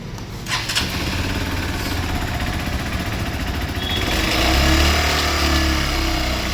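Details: Brand-new Hero Xpulse 200 4-valve bought four days earlier, only 197 km ridden: single-cylinder engine catches and revs with a rough mechanical clatter from inside the engine that persists through the rev; abnormal internal noise, cause unknown, going to service centre.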